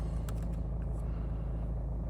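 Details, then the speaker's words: 2018 Nissan Navara 2.3 dCi 190 automatic, 76,000 miles, full service history, just after start-up: steady, even low diesel idle with no knocks, rattles or misses; no warning lights, only low fuel; healthy. "Fires into action straight away, no problems at all."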